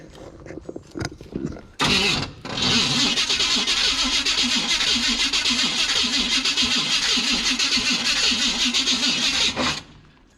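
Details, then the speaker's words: 1967 Cadillac DeVille on K10 chassis, carburetor needing attention, ignition wires found disconnected: starter cranks at a steady even rate for about eight seconds but the engine never catches; starter sounds fine. "starter sounds all right"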